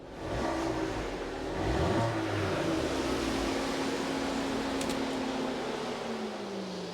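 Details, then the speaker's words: 2013 Vauxhall Corsa SXi 1.2 petrol after spark plug change, warm with fan cutting in: engine blips up and settles back smoothly, no stumble or misfire. "That sounds good. Didn't hear any misfire, seemed to run smooth."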